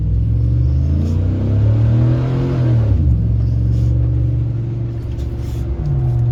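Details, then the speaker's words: Stock Silverado 5.3 V8 work truck, Edelbrock muffler just swapped for a Magnaflow; deep muted rumble rising with a rev and settling, quiet near-stock, no rasp or drone; normal exhaust. "oh you can tell it's mighty quiet don't sound much different than stocks hook really kind of figured it'd probably be a little bit quieter"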